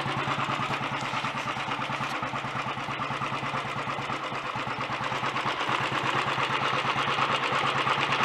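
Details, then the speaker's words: Early Redditch Royal Enfield 350 Bullet after unblocking Concentric carburettor pilot jet, new oil pumps, head retightened: even, slow single-cylinder thump about three beats a second with light gear-train whirr to dynamo and magneto, no knock or smoke; normal idle. "That's sounding alright. Most of that noise is from the gear train actually up to the dynamo and the magneto. The engine itself isn't clattery or knocky. No smoke."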